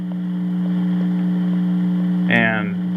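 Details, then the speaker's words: Juliette NA-1114 radio, no station signal reaching the audio: a steady low hum remains under everything. This points to the hum being in the audio section rather than the radio circuits; the exact cause is not yet found. "so that kind of proves the hum is in the audio. Because there is no radio signal going to the audio of this radio, so the hum has to be in the audio itself."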